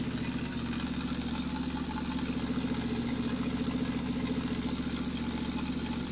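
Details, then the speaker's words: Briggs & Stratton 350777 1152-E1 on its first start on its own fuel, leaking fuel: steady, slightly lumpy idle at about 210 beats a minute; it was blowing oil out, though that isn't audible, but runs on its own. "Yeah, I was blowing oil out of that thing. But she's running on her own. I call that a win."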